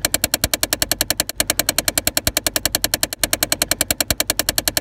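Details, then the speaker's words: 2005-2013 Chevy Impala dash: rapid, sharp tapping many clicks a second from a faulty HVAC blend door actuator with stripped internal plastic gear teeth; fixed by replacing the actuator. "in a 2005 through 2013 generation chevy impala this is a common problem and is the result of faulty blend or actuators it's likely that some of the teeth stripped off of the internal plastic gears resulting in the ticking sound"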